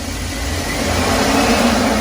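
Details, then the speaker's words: 2001 Chevy Express van, 4.3 V6, after replacing spider fuel injector, ignition coil and distributor (ran rough after sitting ~3 years); warm after ~30 minutes on premium fuel, no check engine light: light throttle blips rise and fall smoothly, no stumble or shake, normal throttle response. "Great throttle response. Man, this thing sounds good."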